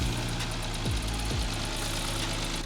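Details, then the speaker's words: 2014 Audi S4 with a freshly swapped engine, restarted after checks showed good coolant and oil levels with no leaks. Fast, even ticking over a steady idle; the loud tick is normal for these engines. "Believe it or not, that loud tick is actually completely normal for these engines."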